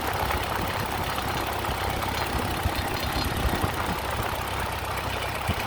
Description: My Ford 8N is making a strange noise.